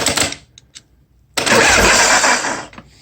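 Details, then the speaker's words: 1986 Harley-Davidson Softail with bad wiring, starter button through key switch: clicking at the solenoid, then a short strained starter whir that dies away; cranks weakly, owner suspects it needs a starter relay for more current, not confirmed. "it's engaging i think this might need a starter relay or something to put some good current into it it's just really not got enough power there to work on the starter button"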